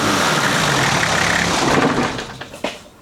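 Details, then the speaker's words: 1991 Nissan Patrol GQ TD42 naturally aspirated diesel, previous owner says oil was dropped then topped up: rough regular knock about four per second at idle before engine winds down; suspected rod knock. "so yeah you can hear that knock but if you rev"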